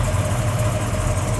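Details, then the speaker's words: 1969 Chevelle V8 with a newly installed FST Billet X-treme carburetor, just after its first cold start: lumpy burble holding a slightly high idle before warm-up; fast idle. "let me check the idle speed in rpm it sounds like it's a little bit high but again let's let it get a little bit of heat before we change anything"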